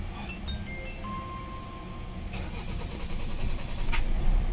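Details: Hyundai Tucson with extended cranking and intermittent check engine light: starter churns steadily near three beats a second and cranks long without catching; cause found to be a broken crankshaft position sensor wire.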